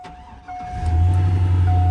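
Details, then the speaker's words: 2002 Chevy Silverado 1500 with blown transmission, started under open hood: engine catches and rises into a loud droning idle with a steady high tone on top; not supposed to happen, cause unclear. "hear that? That's not supposed to happen."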